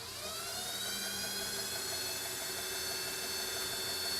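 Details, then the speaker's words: EV West accessory plate on a NetGain electric motor driving KRC power steering pump, belt-driven vacuum pump and OEM AC compressor, powered up: clean whir spins up to quiet steady hum, vacuum and steering near silent; normal running. "As you can tell, I mean, I'm able to talk normally with this. Even if this air conditioning compressor was engaged and it was compressing, it'd be really quiet. The vacuum, as you can hear, is pretty much dead silent, and the power steering is silent."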